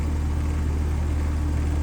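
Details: Home AC condenser restarted after run capacitor work (30/5 replacement planned): steady low hum with faint even tone above it, no clicking or stumbling. Normal condenser running after repair.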